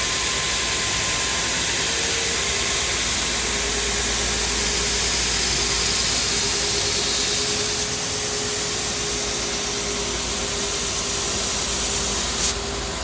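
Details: Two-head abrasive belt grinder finishing a 14 ft, 6-inch aluminum beam flange, P120 then P180 belts: steady, even rushing hiss of belts on metal, no thumps or surging through the pass; running normally.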